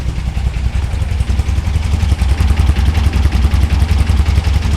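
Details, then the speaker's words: VW Beetle (1964 or 1967) with newly installed dual EMPI carbs, idle screw turned up, before syncing and timing: a quiet, low, even air-cooled burble with no knocks or rattles; normal idle. "Right off the bat, sounds good. That engine's quiet too."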